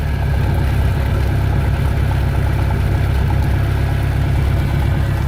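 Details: Boat with Mercury Alpha One sterndrive, 4-cylinder, parked at least a year, run on water supply after impeller replacement: smooth, even low rumble steady at idle, no misses, knocks or squeals; normal idle.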